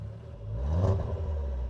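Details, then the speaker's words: 1999 Volvo T5 2.3 turbo five-cylinder after rebuild, freshly restarted with no leaks: smooth, even idle swelling into a clean rev and settling back, no knocks or ticks; engine sounds healthy, owner calls it the best sounding car. "I'm not gonna lie, I probably think this is probably the best sounding car ever."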